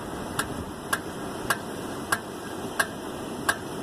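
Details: 1999 Toyota Avalon after mounting two new rear tires: sharp metallic click from the rear driver's side, about 90 a minute, spacing out as the car slows, once per wheel turn.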